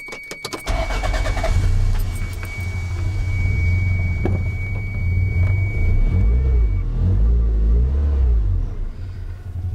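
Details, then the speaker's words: Toyota MR2 with a Gen 4 3SGTE swap, just after changing the spark plugs and refitting the coil packs: brief crank, quick start, then a smooth even idle with no stumble. Normal start-up. "Well, it's a good sign, it's running. All right, sounds good."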